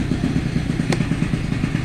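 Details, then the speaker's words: Piaggio Zip 50cc two-stroke scooter with replaced head and sports cylinder kit, also dim lights, suspected low voltage: fast rattling clatter over a busy idle, steady rhythm about every tenth of a second; engine clatter, cause unclear. "Słuchajcie jak klekocze silnik już nawet ja tu słyszę słychać Słychać"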